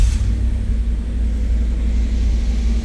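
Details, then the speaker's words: 1991 'Bird' with 60,000 original miles, cold start: catches quickly and settles into a steady, even low rumble with no knocks or misses. Normal cold start and idle, responsive to throttle. "Up and running as it should. Lights. Motors aren't burnt, running good. Responsive."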